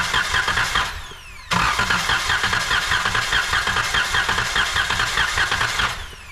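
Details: 2012 Chrysler Town and Country van during compression test: starter cranks in two bursts with an even, steady churning rhythm, no uneven beats; this cylinder read 130 psi, normal compression.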